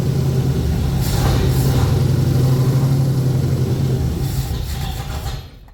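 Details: 1981 Ford Bronco 351 V8 first running after no-start: timing confirmed, fuel added, carb refitted on homemade adapter plate after backfire lifted it; deep, even idle burble, all cylinders firing, then shut down; small resonator muffler, large tailpipe.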